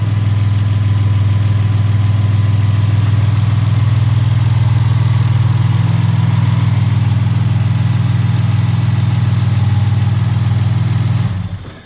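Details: 1975 Toyota Crown MS85 with swapped 2JZ engine, first start after fuel system work: smooth, even low idle for about eleven seconds then shut off; good oil pressure, no overheating, runs normally.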